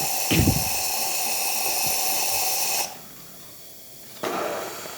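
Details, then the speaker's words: Jura Giga 6 super-automatic coffee machine after full service: strong, even steam hiss for about three seconds, cuts off cleanly and briefly resumes; steam/foam wand working properly. "we're just going to turn it on and foam's going to come out of there or steam I should say usually you connect this to a hose which will pull milk from a different container yeah working fine"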